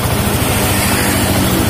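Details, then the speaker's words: Yamaha Jupiter MX King fuel-injected motorcycle idling fast and even before adjustment of the idle screw; idle speed is set too high. "Kita nyalakan mesinnya. Ini kita starter. Dan ini suaranya sudah cepat ya."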